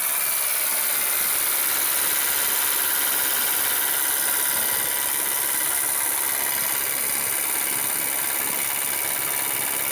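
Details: Renault Megane 2 with newly fitted Valtec LPG (gas) injectors, about 500 km since installation, cold engine at idle, heard clearly inside the cabin: fast, sharp metallic chatter over the idle like a diesel clatter, noisy gas injectors of unknown cause.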